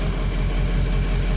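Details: 2003 Ford F350 6.0 Powerstroke diesel after fitting the missing oil filter anti-drainback valve; oil pressure now reaches almost 70 psi. Deep, steady idle with an even low rumble and no knocks or ticks: normal, healthy idle.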